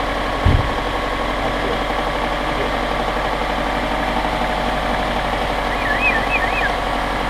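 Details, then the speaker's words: 1999 Subaru Outback, 162,000 miles, after engine noise where another shop said it needed a new engine; test-run with lower idler pulley refitted: smooth, even idle with steady low hum, no knocks or ticks; sounds healthy. "Sounds done. Sounds great. Sounds really good."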